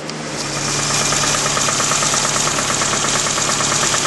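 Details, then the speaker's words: Suzuki Samurai engine idling after oil pump replacement: light, fairly regular tapping about three times a second persists; owner suspects light rod knock (oil light had come on after five minutes), source unconfirmed. "okay um the oil pump is on everything seems to be running good um it's all back together and running but still hear that knock it was"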